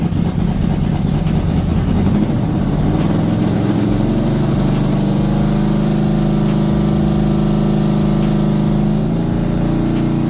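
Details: Rebuilt Corvette V8 on its first start after valves stuck open from rocker preload were fixed by backing rockers off 3/4 turn: throbbing idle whose note wavers unevenly; rough running, cause unknown.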